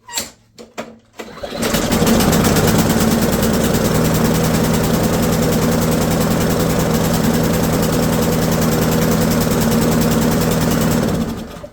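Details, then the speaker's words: Ariens lawnmower with Briggs & Stratton 190cc engine with auto choke; after firing it runs with a rich rhythmic chug about four times a second instead of a clean idle, from a choke stuck closed; stuck choke. "So you can hear it's chugging, chug, chug, chug, chug, chug, chug, chug, chug, chug, chug. And that's the sound of a stuck choke."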